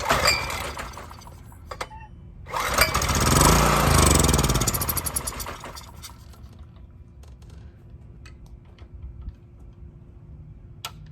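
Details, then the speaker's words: Honda EX1000 generator, choked, pulled with carb cleaner as starting fluid after old gas: catches and revs about three seconds then fades out; fuel starvation from clogged carburetor main jet. "We tried starting it up. We then, it just started with starting fluid and it started on the gas. Drained the old gas, thinking, maybe that's what it was, because we saw the original gas in there. Put some fresh gas in, and it still wasn't starting."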